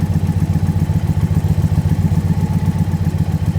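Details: Indian Pursuit motorcycle V-twin, warmed up, just started for a throttle body sync check: steady lumpy idle with an even deep pulse, no ticking or misses; healthy warm idle.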